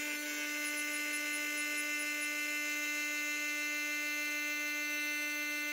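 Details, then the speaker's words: Craftsman 120V 30-gallon 6HP compressor (15A, 11.9 SCFM) running on a 24V 2400W hybrid inverter, pressure reaching 170 psi at about 100°F ambient with the inverter fan audible: steady, even motor hum with a bright high whine, no knocks; running normally. "you can hear the fan running the ambient's still about a hundred exhaust is definitely warmed up but nothing's gonna melt at 113."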